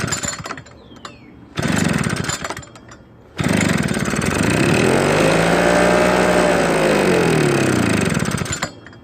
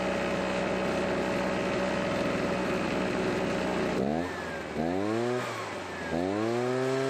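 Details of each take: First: Husqvarna backpack blower stored for years with old gas in tank, primed and given starter fluid in the carburetor: two-stroke catches, revs up and down about five seconds, then dies; tank gas later found discolored with water in it. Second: Husqvarna backpack blower, stored for many years, after draining old water-contaminated gas and adding fresh fuel: steady even buzz at high idle, then clean crisp revs climbing and falling smoothly; normal running, carburetor rebuild unneeded.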